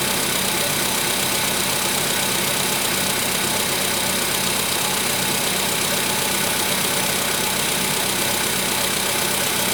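Steady idle with a fast, fairly even light knocking riding over the hiss of the engine; a knock whose cause isn't pinned down yet.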